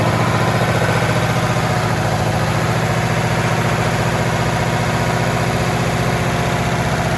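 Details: V8 in a 1932 Chevy hot rod built in the 1960s, off the road for 32 years and last titled in 1989, running at a fast, steady lope with a slight pulsing shake, kept going only by gas dribbled by hand into the carburetor.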